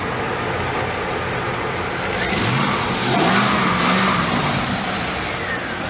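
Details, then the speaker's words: 1999 Pontiac Trans Am LS1 V8 (tuned up a couple years ago, new belts, coolant flush) at idle: steady idle with a hissy exhaust note and one brief rev that climbs and settles cleanly; nothing irregular, normal idle. "so you know it's a great running car it got me back and forth to Minneapolis I've taken it to Tallahassee several times I've taken it to Miami"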